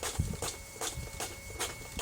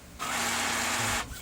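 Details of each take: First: Brother DCP-T420w printer feeding paper after the gear noise fix: steady run of soft clunks roughly every half second with a mechanism whirr as paper pulls through; the feed sounds normal. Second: gear noise when gets paper #brother Dcp-T420w, #fixed #broken #gear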